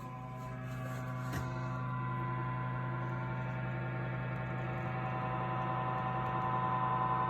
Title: Audew cigar humidor, making loud noise after buying it couple months ago